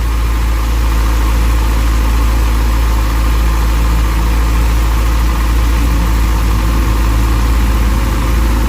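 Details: Motorcycle left idling after replacement of a failed cheap Chinese rectifier behind a burnt connector, charging about 14.4 V, watching for voltage spikes. Low, even thumping idle, steady with no stumbles, misses or hunting; sounds healthy.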